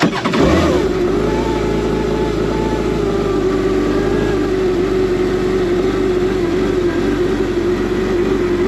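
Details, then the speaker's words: Kawasaki Ultra 310 jet ski after installing a Kspeed billet fuel rail with stock 11mm injectors: the engine catches quickly and settles into a steady, even idle for about 10 seconds. It runs cleanly with no stumble, and no leaks are found at the rail, fitting or injectors. "So we allowed the ski to idle for about 10 seconds. We gave it a blip of the throttle to double check everything."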